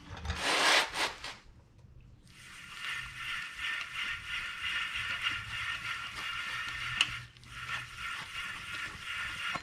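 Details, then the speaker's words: Front wheel bearing removed from a 2009 Subaru Outback that had a loud drone for months, spun by hand: dry, gritty rasping scrape rising and falling, with badly degraded bearing surfaces and rollers. "sounds like a dry bearing to me that's putting it mildly it's worse than just dry the bearing surfaces and rollers have severely degraded"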